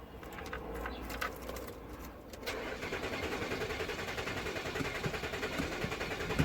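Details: Nissan Murano with 12.4 V battery: starter cranks steadily at about three and a half beats a second but never fires; a new crank sensor didn't help, replacing both camshaft position sensors made it start.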